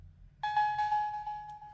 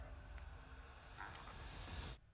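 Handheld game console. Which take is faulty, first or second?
first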